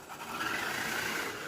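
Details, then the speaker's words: STX Kanyon RC car gearbox after teardown, which had stripped with grinding noises and motor spinning, bench test after re-threading repair: smooth steady high-pitched whir, much faster, with no clicks or skips; the clicking noise is gone, gears meshing cleanly. "nice much faster and our olive oil clicking noise are gone so"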